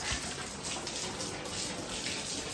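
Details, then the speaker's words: Basement water line turned on: steady rushing hiss of water pouring freely from an open pipe end missing its garden valve, so it won't turn off there; water leaking from the open pipe. "oh we're missing a a damn Garden valve right there that's why it's leaking so that is not going to turn off unless we have a garden valve that"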